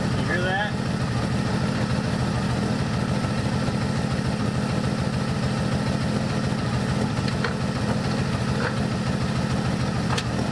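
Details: 1984 Dodge Ram D100 slant six with 4-speed, being revived; rough idle with a light quick tick on every firing pulse, first feared a rod, found to be an exhaust manifold leak at a broken stud.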